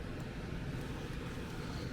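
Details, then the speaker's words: Carrier air handler with TXV evaporator coil: steady heavy rush of air with a deep low roar, no pulsing; high static pressure from a restriction; filter caved in. "As a matter of fact, you can already hear. Just listen to that. You can hear the static pressure."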